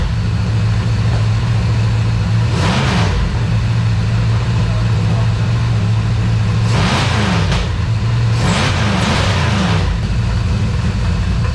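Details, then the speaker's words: Aspen V8 just converted to EFI, uneven idle with quick throttle blips and sharp knocking; detonation from over-advanced ignition timing, oil filter cut open. "what is that knocking yeah fire it back up come out here and look listen to it"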